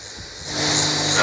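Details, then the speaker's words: A Masterbuilt 560 smoker under repair, doors closed, set to 225 and reading 90 degrees and rising. A soft, airy whoosh swells in and holds steady with no rattle. The fan has kicked on and is running normally. "guys heard the fan kick on it's reading 90 degrees so at least that temperature is going up a little bit"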